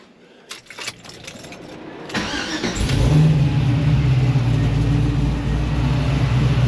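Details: Supercharged LS-swapped 1969 Camaro with newly installed remote IACV, Holley-controlled: quick crank, catches, then settles into a deep, even idle with steady pulses and no hunting; idling cleanly.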